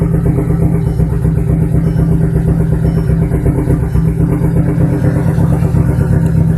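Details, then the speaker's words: Big-turbo Audi TT started after sitting a long time, oil primed, on 2-year-old fuel: lumpy, uneven low idle with an irregular stumble as a cylinder drops out; misfire. "Alright, so it sounds a little rough. I'm going to go ahead and make sure everything looks good."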